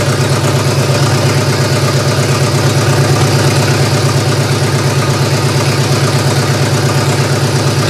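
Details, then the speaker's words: GM 3100 V6 swapped into a Toyota Camry derby car, first start-up: steady but lumpy rough idle, running better yet not right; owner suspects nearly two-year-old gasoline as a main cause, unconfirmed. "well I've got it running better it still doesn't sound that right to me I know there's a couple issues still with this one being that gas is almost two years old"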